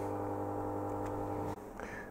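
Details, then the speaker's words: 1970s HP 5340A 18 GHz frequency counter running: quiet steady hum with fixed tones from the internal cooling fan, a common loud-fan issue; tapping the top quiets it, suspected mechanical; noisy cooling fan. "that's only the fan inside it seems this is a pretty frequent problem here I have seen such devices on eBay with the remark loud fan"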